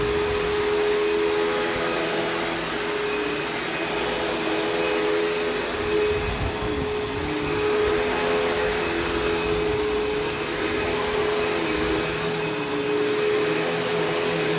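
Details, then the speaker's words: Vacuum on new carpet with a chewed-up, loose brush roll: loud steady motor drone with a rough, uneven rattling rumble, vibrating heavily; damaged, out-of-balance roller. "seems kind of chewed up it seems a bit loose so this is going to have a pretty uh pretty gnarly amount of rattle to it so it's going to sound pretty rough"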